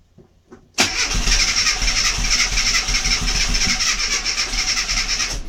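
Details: Mini MPI cranking: steady fast cranking rhythm, about three beats a second, for five seconds without ever catching; cranks but won't start.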